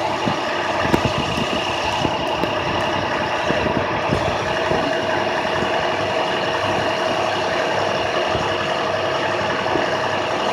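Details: 2006 IC CE bus diesel on high idle: steady raised idle with even clatter and constant tone throughout; normal high idle.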